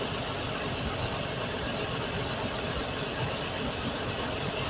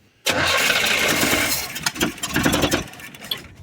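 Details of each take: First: Sure sounds good. Sounds real good. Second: Truck engine after spark plug wires installed, firing order checked and initial timing set: fires, then stumbles and surges with sputtering bursts before fading; told not to give more gas as it's wanting to flood out (suspected). Rough running after start.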